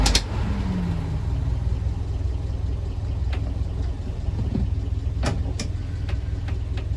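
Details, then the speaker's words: 1970–71 Land Rover Series IIA 88in petrol with unleaded conversion and 2020 clutch, idling at traffic lights: smooth, even idle with no clatter or knock, normal. "islands nicely as you can hear not clattery or anything"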